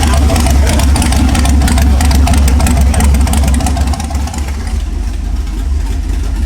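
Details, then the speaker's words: 5.3 LS-swapped Ford Ranger with new cam, now running on all eight cylinders after coil packs, wires, plugs and tuning changes: deep, steady V8 idle with even cammed lope, no stumble; normal idle. "It might actually work. It's actually not doing bad."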